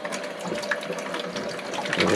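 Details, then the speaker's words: Electric hot-water boiler after rebuild, supply valve reopened: steady rushing, gurgling water flow with faint splashing as trapped air is pushed out of the refilled heating lines; some air got into the upper lines, which have an automatic bleeder. "I didn't really want to get air in the upper part of the lines but I kind of did it does have an automatic bleeder"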